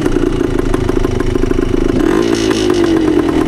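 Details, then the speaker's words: 1972 Yamaha DT2 two-stroke enduro, one-kick start, key in middle position: crisp even two-stroke popping at idle with a quick throttle blip, settling back cleanly; healthy idle on a reliable bike. "idle's nice. This bike has been super reliable, so hopefully it proves that self right on the trail here too."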